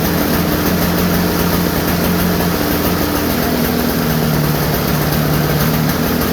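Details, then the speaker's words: Toro snowblower cold start after sitting since 2021, restarted by pull with no starting fluid; small engine holds a steady, even chug with no misses, knocks or surging, running normally despite the long storage. "so yeah i thought that was gonna take like 20 pulls honestly i did but the old toro"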